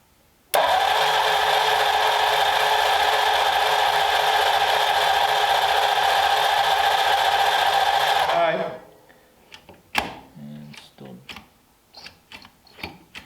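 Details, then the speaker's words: Hopped-up flathead in the Ruined Roadster with an empty fuel line: steady, even starter cranking at about four turns a second for eight seconds with ignition off to pull fuel to the carb; cranking without firing. "um so I would leave the ignition off y crank a little more because I'm going to see if we soon I'll be able to tell you if we got any fuel"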